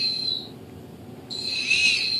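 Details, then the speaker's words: Hobbyking Sunbird 1.6m glider after a motor/ESC upgrade, bench-tested. At full throttle there is a high motor whine that drops away abruptly on throttle cut. The ESC brake is set too strong and jerks the prop, so it needs reprogramming. "okay so throttle cuts there's full speed whoa that breaks a lot harder now you guys see what happens"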